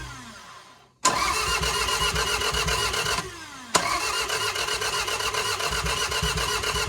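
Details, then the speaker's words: Budget MR2 with engine refitted after manual conversion, start attempt: two long, even cranking runs at steady starter rhythm, never firing; sounds better than before, owner will check timing or refit old camshafts; crank no start. "Alright, Alright, so the car is again cranking and not starting. However, it does sound a ton better."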